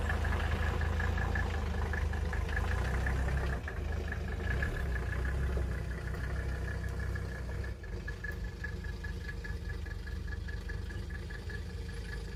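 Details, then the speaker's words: 1983 Mercedes 300TD W123 OM617 diesel: shaky, uneven idle with faint repeating tick; vibrates at idle and starts hard; timing chain found loose and stretched, throwing off cam and injection timing; rough idle. "and you know what with how this thing kind of vibrates at idle and how it's hard cold starting even when it's warm out uh I'm going to say that this is part of our issue"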